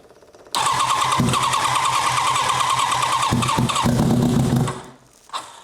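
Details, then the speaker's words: Turbocharged H2R Wish drag bike cranking: fast, uneven starter churning with a few coughs but no catch, then it dies; engine flooded because the fuel pump ran too long before starting, cylinder 1 found full of fuel. "Là, le problème, c'est que j'ai laissé la pompe tourner trop longtemps sans la démarrer. Du coup, j'ai noyé le moteur."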